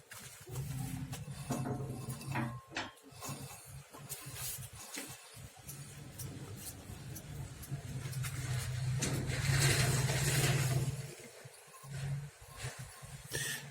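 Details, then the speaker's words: VAZ 2110 rear wheels with uneven squeaks and scrapes over low road rumble as the wheel turns; a broken-off piece in the rear drum brake, likely from overheating or drum age, caused the squeak and dragging. "Именно это и является причиной скрипа. Она отломалась, вероятно, из-за перегрева или возраста барабанов."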